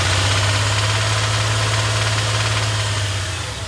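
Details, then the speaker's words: 1999 Dodge Dakota R/T, 5.9 Magnum V8, idling in neutral with no load: regular hollow ticking/knock about 3–4 per second that disappears under load. Liqui Moly helped somewhat; Lucas additive about to be tried. "so it only does it when the engine's not under load like you can hear right [Music] there when it's under when it's under load it doesn't do it"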